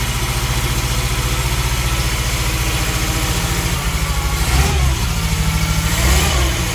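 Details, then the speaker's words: 1971 Fiat 850 Sport Coupe first start after replacing the coil and cleaning the distributor arm and points, choke pulled out, running on old fuel: steady low putter at idle with brief throttle blips, firing evenly; runs clean. "Seems timing like it's working. I think we can officially say it's alive! Woohoo! Sounds quite sweet actually, considering how old the fuel is."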